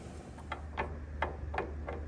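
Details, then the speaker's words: Bus wheel rocked by hand during an inspection. Light, sharp clicks about three a second, a jingle as the wheel moves; excessive wheel bearing play, a very poor fit. "That is not a good fit. I haven't seen a wheel bearing that loose since George's."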